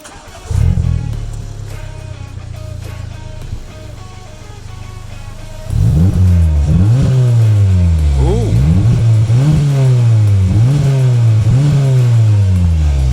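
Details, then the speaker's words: Renault Clio rat rod after replacing the ignition coil pack (misfire on cylinder 1, popping and coughing): engine starts and is blipped repeatedly, revving smoothly with no stumble or popping. "oh yeah it's ticking over a bit better now yeah beautiful it's not popping at all"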